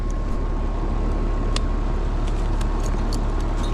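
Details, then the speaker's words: Home central air conditioner on a no-cooling call: steady fan drone with faint hum, no compressor running, suction line not cold, contactor rough; compressor not starting, traced to a failed 35/5 run capacitor. "I'm not sure I hear the compressor. Line is not cold."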